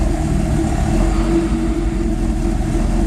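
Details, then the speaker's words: Non-VTEC Honda B20 just after fitting E85 decapped injectors, tune not yet adjusted: fires right up with a steady, even engine note and smooth low rumble, no misses, knocks or stumbles. "I'm impressed. Thing sounds like it's running pretty good, actually."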